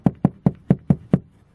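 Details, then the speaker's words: Ford Fusion rear cabin: six hollow drum-like knocks, about five a second, over bumps; the seat belt's metal buckle striking the hollow plastic wheel arch cover; fix by tucking buckle away or gluing sound-deadening material under it. "вот он источник этого шума это пластиковый кожух защиты арки колеса он пустотелый как барабан кузов играет и вот эта вот часть ремня безопасности стучит по"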